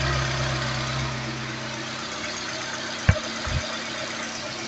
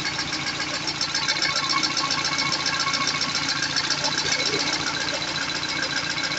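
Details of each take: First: Peugeot 206 CC S16 after replacing hydraulic tappets, new timing and accessory belts and engine mount, engine warm: smooth even idle with no valvetrain ticking, one brief clunk; still some smoke and burnt-rubber smell. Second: Peugeot 206 CC S16 engine restarted after replacing hydraulic lifters and refitting new timing and accessory belts: quick, light, even ticking over the idle while the new lifters fill with oil pressure.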